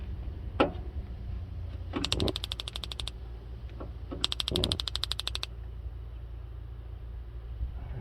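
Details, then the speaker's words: Brand-new stove burner in a 2019 Chevy Express 3500 LT 6.0L camper van: two bursts of rapid, evenly spaced igniter ticks over a low hum before it lights; normal igniter, still being worked in. "So you can hear it clicking. It's on now. It's hot. Nice little burner."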